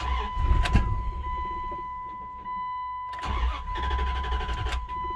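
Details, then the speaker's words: 1999 Dodge Durango SLT V8, sat 14 years, after exhaust manifold reinstall: runs rough and lumpy over a steady whine. Misfire from the two rear plug wires swapped. "come on feels like it's missing I got I definitely got two backwards um and it's definitely the rear two I got backwards"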